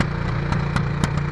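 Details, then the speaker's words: 1996 Honda NTV 650 barn find, sat six or seven years, cleaned carburetor, throttle blocked up: lumpy fast idle with irregular puffs three or four a second; little smoke, puffing blamed on old gas, not confirmed. "but it doesn't smoke very much but is puffing and because the old gas"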